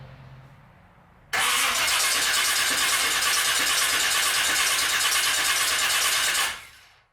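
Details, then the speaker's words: 1990 Chevy Camaro 350 small block with Vortec heads and Holley Sniper EFI, cold crank after swapping the old GM starter for a mini high-torque starter with starter blanket and shims: loud, even, quick, unlaboured crank about five seconds. Cranks a lot faster. "okay so it definitely cranks over a a lot faster just on a cold crank here"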